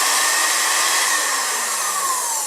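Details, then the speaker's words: Magic Bullet blender, owned over a year, loaded with solid apples and milk: high steady motor whine with no load change or chopping, motor free-spinning; worn plastic drive gear and rubber coupling not turning the blade, fixed by replacing blades and gears. "You heard it moving, and nothing in here is moving."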